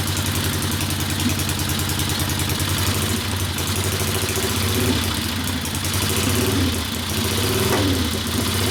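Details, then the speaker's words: 1964 Harley XL 900 Ironhead Sportster, custom distributor suspected: lumpy, uneven V-twin idle with hollow drum popping and gaps in the beat; one cylinder's exhaust stays cool, not firing, misfire. "so that's that popping so that that hollow drum popping and the misfiring firing all the crap and shooting them ducks out the motor"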